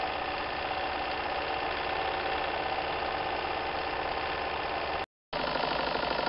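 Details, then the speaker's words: Märklin 4097 toy steam engine with a new, longer-stroke crank, warmed up, runs with a quick, even beat and no knocks or rattles; running very quietly and healthy. "you can see the engine runs perfectly and now the engine has warmed up and you can hear that the machine is actually running very very quiet"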